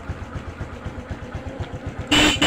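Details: Honda Blade 125 injection, no neutral light and dead, fixed by replacing a blown fuse: small single idles with even steady putter, then two short horn toots; normal idle.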